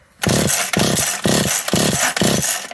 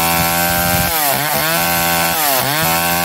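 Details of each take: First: McCulloch Eager Beaver 2.0 chainsaw, new coil giving big bright spark, carburetor already gone through: five quick rope pulls, each a short whirring spin dying away without firing; no-start finally traced to low compression. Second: McCulloch Eager Beaver 2.0 chainsaw after rebuild, spark arrestor back on, probably warm, run to burn off old gas: crisp two-stroke revving, pitch climbing and falling cleanly, no misfire or bogging; healthy.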